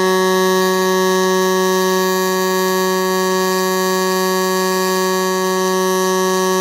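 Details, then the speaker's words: Millermatic 255 in pulse MIG mode with 90% argon/10% CO2 gas, running a bead: an even, unbroken loud buzz pulsing about two hundred times a second. Normal pulse MIG arc. "I just switched the machine over to pulse Mig just going to run a bead profile here give you an idea like you can hear what it's doing you can hear how it's pulsating"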